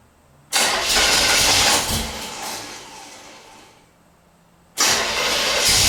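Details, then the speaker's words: 1977 Corvette unstarted for over 6 years: starter grinds in two long bursts with a small backfire pop but never catches and runs; crank, no start. "oh just a little backfire it's all right so uh okay"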